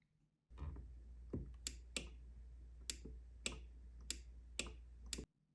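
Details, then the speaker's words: Homemade outboard motor starter box: pressing a momentary push-button energises a relay, which will later drive the starter solenoid; crisp single relay click repeats about seven times at irregular intervals over a low hum; normal relay click. "So that's not the button, it's the relay making that sound."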